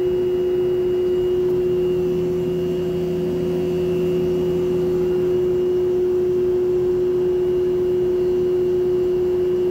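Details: Lloyd inverter AC, installed April 2023 and under warranty: loud, steady mid-pitched hum like a train horn since installation, unresolved after two service visits.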